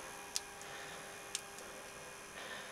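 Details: 27-inch Wells Gardner D9200 arcade CRT monitor powering up after repair for black flashing (solder joints, capacitors, cables checked, anode reconnected): faint sharp crackles about a second apart over a thin steady whine, normal high-voltage static.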